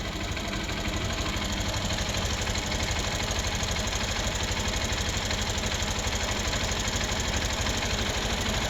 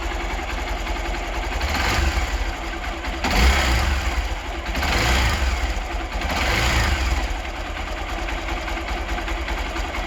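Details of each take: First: Hero Xpulse 200 single-cylinder motorcycle at idle, before valve clearance adjustment: fast, even ticking at about three per second over a rough idle; valvetrain tick from incorrect valve clearance. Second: Hero Xpulse 200 engine after final valve clearance adjustment (intake 0.06 mm, exhaust 0.102 mm): steady thumping idle with throttle swells, only faint light ticking, valvetrain noise much reduced; normal running.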